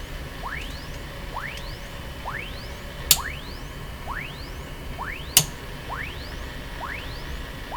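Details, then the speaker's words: Sony TR712 transistor radio beside another radio: repeating rising whistles about every second over faint hiss, heterodyne whine from the other radio's local oscillator, not a fault. "So what's happening is the local oscillator in this radio is affecting this other radio."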